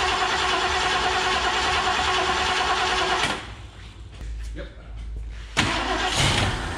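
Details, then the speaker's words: 1969 Mercury Cougar Sport Special, 351ci Windsor 2V V8, sat about 20 years in a semi trailer: starter cranks steadily about three turns a second but never fires; fuel starvation, only one squirt at carburetor, inlet hose full, fuel pump suspected. "dude it was just like one little squirt i wonder if our fuel pump is either sure it's oh that's convenient here's the fuel line right here there's fuel in here"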